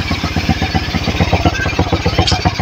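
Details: CT100 single that would not start because the timing was off; owner first suspected the magneto, but the cause was a small broken key. Now repaired, it gives a quick, even run of exhaust pulses with no misses or rattles. Normal running.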